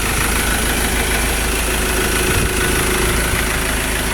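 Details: Ford Ranger that previously gave no reaction and wouldn't start, after repair: it catches on one click and holds a steady, moderately fast idle with a low, even throb; it later revved to 4,500 rpm. Normal idle.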